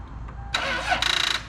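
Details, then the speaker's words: Lexus GS300 that dies a few miles down the road: the starter churns briefly with quick chattering but the engine never catches. Crank, no start; a weak battery is suspected, possibly killed by a dead alternator, and a jump is planned. "oh it's so close it's right there do we need this anymore nope just gotta give her a jump we'll go get a battery"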